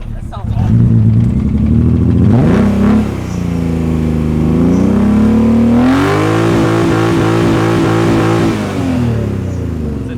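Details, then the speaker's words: 1998 BMW M3 with twin-disc clutch revving under load with a lumpy, uneven pulsing and rough stumbling beat; misfire worsening, now losing another cylinder; check engine light not flashing. "Yeah, I think it's missing worse now. I think we are missing another cylinder. Yeah, we lost another cylinder."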